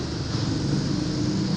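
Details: Yamaha NMAX version 2 scooter that wouldn't start, after fuel pump replacement: short burst of steady, even low engine drone under light wind; runs healthy.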